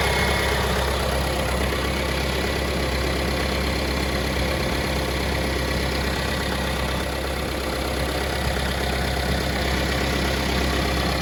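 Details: 2018 Mahindra Roxor turbo diesel UTV after fixing a fuel filter housing leak and priming: steady diesel idle with even light clatter, constant pitch, no misses or hunting; runs healthy.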